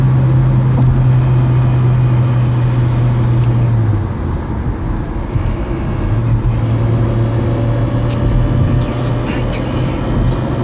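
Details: Peugeot 307 1.6 16v: loud steady low gearbox drone that drops away and returns as load changes. Shifting improved after a gearbox oil change (level wasn't low), but the noise remains; owner suspects a faulty thrust bearing.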